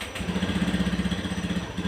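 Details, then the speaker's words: Fuel-injected Honda-type scooter after throttle body service, idle air screw set 3–3.5 turns and ECU reset: after starting, an even, quick idle pulsing steadily, which is normal behaviour. "lalu kita coba Nyalakan perhatikan langsamnya jika normal dia akan meninggi dulu dan setelah beberapa saat maka langsamnya akan turun ya"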